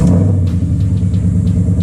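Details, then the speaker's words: Ford Mustang exhaust after temporary $5 patch on a hole ahead of mid-pipe replacement, cold start at night: deep even burble at idle, earlier startup tick gone; exhaust leak sealed, normal idle. "that's good that's good because there was a noticeable tick whenever I first would crank it up and that tick isn't there so that's awesome"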